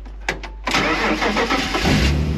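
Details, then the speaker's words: BMW 328ci started with only TOPDON JS1200 jump starter: a few slow starter turns, then it fires at once and runs up to a smooth, steady idle; normal cranking and start. "très bon comme quoi ça fait le taff et réussit quand même à lui tout seul à démarrer la voiture"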